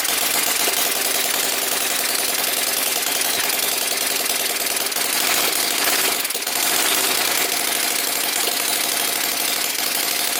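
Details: Small Whippet flathead model engine on a test stand, water pump running: fast, even chatter with steady pump hum underneath, no misses or knocks; running healthy.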